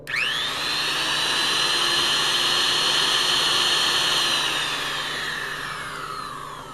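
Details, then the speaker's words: Vintage Powr-Kraft 8542A modular router after bearing replacement: a clean high whine spins up quickly, holds a steady pitch and winds down smoothly with no grinding. Normal router run. "and now what it sounds like after it's not even the same thing"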